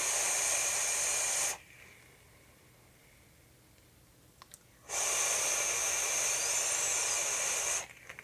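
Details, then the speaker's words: Phobia RDA atomizer after fix: two soft breathy draws, just airy hiss with no whistling, after pushing the airflow separator inside the airflow to the side. "so I don't hear the whistling noise anymore all I did was the the separator in in the airflow"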